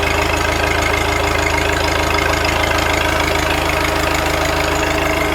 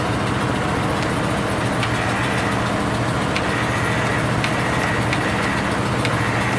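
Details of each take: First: Cold-weather start of an old New Holland with a Wisconsin engine (not the original motor): steady, even idle with a smooth low exhaust beat and no knocks or misses; running great. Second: Cold start of a machine with 579 hours, sticky starter and a battery that goes dead when sitting, added fuel pump: steady rhythmic cranking with faint clicks, never catches; cranks, no start.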